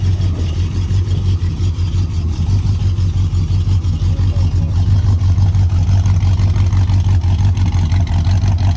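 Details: Dad's big-block Ford F150 "Old Red", second day of diagnosis: heavy uneven V8 idle with a light tick about three times a second; owner suspects one gummed-up, sluggish lifter, planning to check it isn't collapsed and an oil change with additive.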